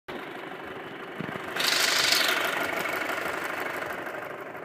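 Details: 2.0T FSI petrol engine idling: light, fast ticking of a few ticks a second over a hissy run.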